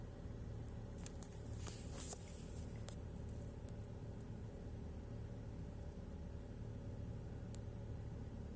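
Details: 2007 BMW X3 N52 272 hp cold start: deep, uneven rough idle that wavers, appearing after replacing the eccentric shaft sensor gasket; before, idle was rough only when warm; non-return valves, solenoids, valve cover, plugs, thermostat, water pump replaced.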